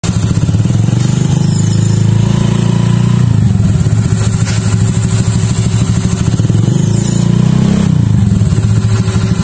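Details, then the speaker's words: Honda Vario 150 scooter with new MaticMania CVT clutch and grooved clutch bell, revved up and down: faint turbo-like whine following throttle from the grooved bell; normal for that clutch. "Katanya tuh itu suara antara kartel mangkok yang udah di kartel tuh bakal kayak di suara turbo gitu. Kayak gitu kan. Pokoknya tapi itu normal lah kan."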